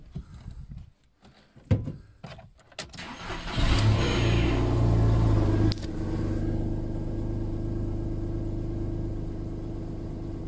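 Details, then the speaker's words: VW Polo with repaired alternator (previously not charging): quick crank, catches, blips, settles to even, steady idle; with the new regulator it now charges and there are no more dropouts; normal start and idle. "ich habe gewonnen mit den neuen regeln wird geladen und siehe da keine aussetzer mehr"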